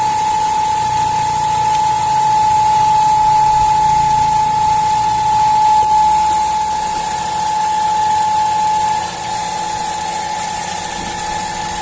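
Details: Fiat Uno Firefly three-cylinder: steady high whistle over even idle, then fades. Caused by failed valve cover (PCV) diaphragm; replacing it cured the noise.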